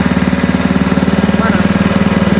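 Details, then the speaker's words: Spice grinding machine about 17 years old, after replacing the cracked grinding stone: formerly very noisy, now steady even putter with no knocks; runs smooth and quiet, normal. "tadinya kan berisik banget jadi lakernya lakernya udah kena terus E itunya k tu halus suaranya halus"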